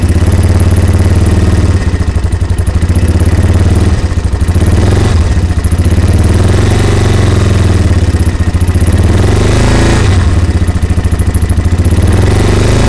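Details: Yamaha Warrior single-cylinder engine at a steady fast idle with a loud, clattery rhythmic thump; something sounds off, cause not clear.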